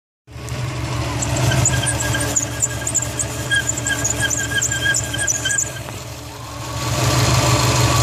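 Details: 2004 Subaru WRX STi, engine running: steady high squeal and chirp from the power steering pump belt, fading briefly then returning; belts less than a year old, and the steering wheel stutters on sharp low-speed turns. Slipping belt suspected, not confirmed.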